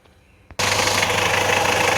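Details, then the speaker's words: Alfa Romeo 916 GTV 2.0 Twin Spark Phase 1, under 1500 miles after a Gates timing, water pump and balance shaft belt kit: a harsh, fast rattling knock at idle, like bottom-end failure, but actually the balance shaft belt tearing apart. "a bloody noise in the engine sounds like bottom and it's faulty but actually the balance of the belt is stealing in bits"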